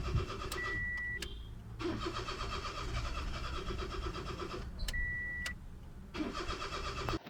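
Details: Crank, no start from a faulty camshaft position sensor, code P0340. Starter churns in long bursts with pauses and the engine almost catches but never fires.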